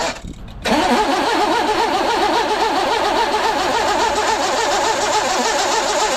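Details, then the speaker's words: 1982 GMC S-15 pickup after the loose one-bolt starter was refitted with both bolts and no shims: even, quick cranking at about four beats a second with no grinding or clatter. Starter sound drastically improved, though it possibly still needs a shim. The owner thinks the battery may be dead. "Starter sound is fixed. I think it still could probably use a shim, but you could hear the difference. It's drastic."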